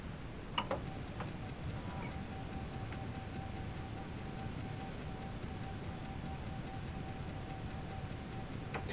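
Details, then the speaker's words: 40-year-old Atari 1050 floppy disk drive after disassembly and cleaning: faint steady whir with a few soft head-stepping ticks; after a slow spin-up it reads the disk normally. "oh I did read it maybe it had to work its way up to speed hey she works so there we go"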